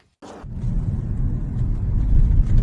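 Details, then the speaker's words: 2012–2020 Ford Focus after replacing front-right stabilizer (sway bar) link for pothole knocking: test drive on rough road gives steady low tyre and road rumble with no knocks or clunks; suspension now quiet and stable. "After such work, the knocking disappeared. Without a sound. No unnecessary movements. The car is stable."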